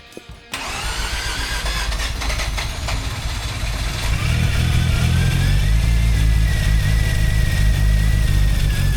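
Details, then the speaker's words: Rebuilt Mazda RX8 Renesis rotary with RX7 apex seals, clearanced for boost, low-temp Mishimoto thermostat, first start: cranks, catches, settles into steady idle building slightly in revs; oil pressure 17 PSI. "So, as you can see, it is uh well, as you can hear, it's running. Uh, it's been going now for about uh 20 minutes."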